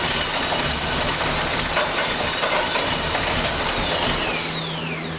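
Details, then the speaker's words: 1989 Dodge Daytona junkyard car, first run after transmission fluid soak, brake cleaner and bad gas: catches and keeps a steady busy clatter, no knocking, smoking; runs normally. "it runs it runs it runs good people look at the cloud of smoke that is all that uh transmission fluid and brake cleaner and bad gas and whoever knows but it runs"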